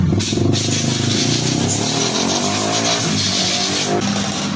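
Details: Yamaha Soul GT scooter engine, noisy, oil found empty after three months without a change: harsh, gravelly running with a dry rattle over the engine note, piston and cylinder scoring from oil starvation.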